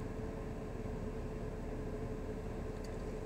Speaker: Yeah, super smooth. Everything sounds good. The car is way better than the way it came in.